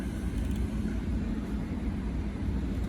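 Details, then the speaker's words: 2015 Audi Q7 TDI HVAC blower motor after lubricating it to cure a squeak: a steady low rush of air at full fan speed with no squeak or chirp; it runs quiet and smooth. "all right guys all buttoned up no noise let's see can't just turn ends all the way up"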